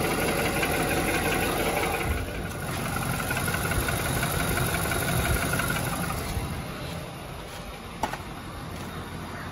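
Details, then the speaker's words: 2018 Nissan Titan, warm engine: light, fairly regular knock about three a second at idle, much louder once climate control is switched back on; not heard via rod at cylinder 7 exhaust manifold; owner suspects compressor or clutch, unconfirmed. "now if i turn that climate control unit back on i wonder if it will see there it's back now that the climate control is back on you can really hear that"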